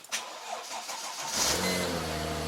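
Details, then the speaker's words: Modern computer-controlled car, not started for about a month to six weeks, cold start: quiet crank, catches within about a second and settles straight into a smooth, even idle as revs drop; normal cold start. "so let this sound warm up that started instantly no problem that's the joy of modern cars"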